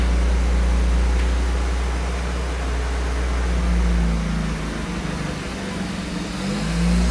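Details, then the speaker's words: 1982 Firebird (also called an 81 Camaro) on its first start after sitting 25 years: a smoky, steady even rumble with 50 lb oil pressure, a charging battery and idle at about 1,800 rpm, which sounds healthy. "It's a little smoky. Sounds good though. We're at sitting at like 1,800 RPM. Not too sure what that's about. Does sound really good, though."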